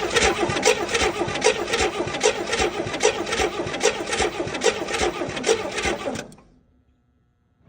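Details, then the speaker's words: 1964 Chevy Chevelle, 50k original miles, saved from scrapyard: starter cranks steadily for about six seconds without firing; cranks but no start, spark present at the points but apparently not reaching the plugs, cause not yet found. "Okay, so for some reason we're still not getting spark even though we're getting amazing spark across the points right here whenever I whenever I pop them apart."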